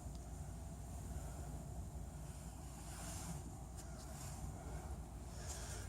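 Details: GE DHDSR46EG7WW electric dryer after replacing drum slides/glides for squeaking: steady low tumbling rumble, no squeal or scraping, drum turns smoothly and quietly; slight creak still noted under load, possibly bearing, belt or pulley.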